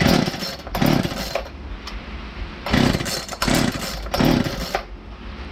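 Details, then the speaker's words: Poulan Wild Thing chainsaw, fitted with an aftermarket carburetor kit: two-stroke surges and drops back in uneven bursts, never holding steady; lean running from a massive air leak at the cylinder base. "it's all fired up and runs but has a massive air leak and it's right around the cylinder base maybe i'm going to start it up and show you what it's doing"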